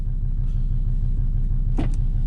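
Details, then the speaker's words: 2005 Volvo XC90 2.4 D5 diesel idling at −3°C after new glow plugs; owner says it would not have started on the old plugs. Steady, even low rumble with regular beat, no misses or knocks; healthy cold idle. "There's no way this would have started. This would have not started with the old glow plug."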